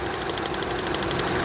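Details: Mitsubishi Lancer MX petrol engine idling with a fast, slightly uneven ticking over a steady hum, rough idle or idle-up issue being diagnosed; spark plugs and coil considered, cause not confirmed.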